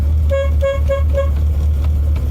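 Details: 1987 Chevy Corvette C4 at idle: four short toots on one thin high note with no lower partner, only one horn working; the dead horn of the pair feels very warm, shorted internally, while the working one is cool.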